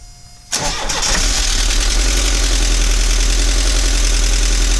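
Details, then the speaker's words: 1985 VW Vanagon Westfalia 1.9 L Wasserboxer, cold start before engine pull: cranks and catches, then a cold idle with busy metallic clatter, which the owner suspects is in the heads from little running and not being warm. Engine clatter at cold idle. "this engine has a lot of clatter um most likely in the heads just because it hasn't been uh run very much and uh it's not warm right now"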